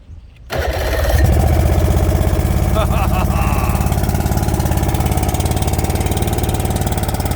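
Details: 90 hp Chrysler outboard on a late-80s/early-90s Glastron bass boat, long unused, cranking and catching into an uneven, lumpy, wandering beat; rough running, carburetor may need work, cause not confirmed.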